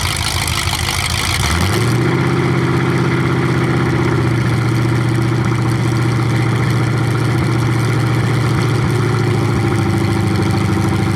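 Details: 427 big-block Chevy V8 on an engine run stand, first fire after sitting a long time; distributor timing just adjusted, possibly the wrong way. Catches after brief crank, settles into deep steady lope with even revs; normal idle and revving.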